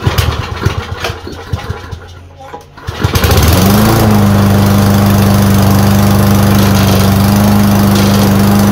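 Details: Troy-Bilt mower with drive system failure: a few seconds of fiddling, then the engine catches and settles into a steady, even drone; starts cleanly and runs, drive belt suspected off.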